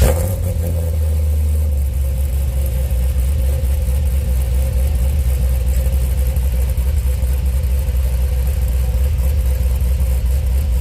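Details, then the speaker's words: 2005 Pontiac GTO, 6-liter V8 (reportedly 20 over), started up right after a performance transmission was installed: deep, loud, steady rumble holding even and strong with no knocks or ticks. It is normal, healthy running. "Your phone or your computer may sound okay, but with a sound system, oh my god, or like going through your big truck speakers or something like that, the sound is unbelievable coming from this right now."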